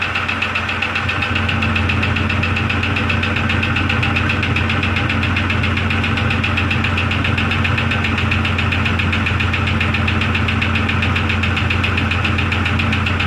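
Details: 2002 Jeep Grand Cherokee Laredo at idle, cold weather, engine sounding hot after the run: a steady knock about four per second rides on the engine note. Source unknown; owner checks the oil and may tear down and rebuild the engine.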